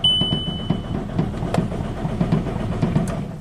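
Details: VW Jetta TDI (believed 2006), recently engine-swapped and sat four years, clutch depressed; steady rhythmic cranking at about four compression pulses a second, never firing; crank no-start, setting camshaft position sensor code P0341 after long crank, cause unconfirmed.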